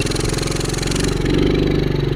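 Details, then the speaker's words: 1974 Honda Trail 90 (CT90) single-cylinder, revived after sitting since 1984, idle set low; fires on one kick and settles into a quick even putter with slight rev rise; normal start and rev. "but yeah one little kick fires right up and go back down to the bottom once you drag the golf cart down"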